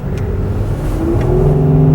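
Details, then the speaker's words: 2009 Ford Flex, cold engine just warming up, a little over 70,000 miles, revved right after a K&N cold air intake install: the engine climbs smoothly in pitch with a deep, even, throaty note and no knocks or rattles; a healthy rev. "oh it sounds cool yeah that sounds pretty good he's downs throaty"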